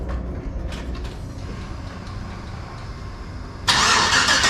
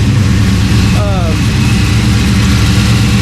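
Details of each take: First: LS-swapped 1992 Dodge Dakota V8, first start after fitting a catch can and capping the throttle body: long uneven cranking before it fires and revs, as if full of fuel; it then starts fine. Flooding suspected. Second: LS-swapped 1992 Dodge Dakota V8 after adding a catch can and adjustments, cold start, no vacuum leaks: steady even idle with no stumble, lope or hiss; idling much better, IAC valve may need more adjustment.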